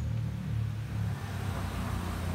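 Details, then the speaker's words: Honda Beat scooter whose CVT went "rek rek" under throttle despite a service and new pulley bearing, now refitted with a rubber shim packing: low, even drive rumble rising smoothly with throttle, no judder or rattle; smooth CVT. "Coba kita pasang dan kita nyalakan, semoga saja sudah halus."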